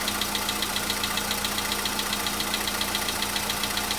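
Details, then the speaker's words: VW Polo Sedan (CFNA engine) cold start a day after oil change and flush with flushing oil: light, even tapping two to three per second over steady cold idle, knock absent yesterday, now slight; cause unclear. "Чуть-чуть есть, совсем мало. Нет, есть, конечно. Так вот есть, постукивает."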